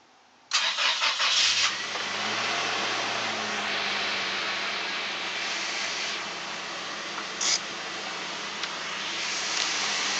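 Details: 2004 Toyota Tacoma Prerunner 2.7L 3RZ, about 150k miles, oil full; light metallic rattle at fast cold idle after start, longer on colder mornings, gone once warm, cause unknown; cold start rattle.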